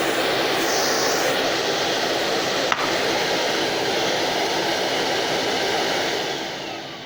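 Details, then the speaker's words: Numatic Henry Xtra vacuum, about nine months old, with the normal nozzle and no brush roll: steady, even, much quieter motor hiss with no brush clatter or rattles; normal running. "plug the normal nozzle on for you and you can hear the difference in sound because this one's very this one's much quieter there's no brush roll on this"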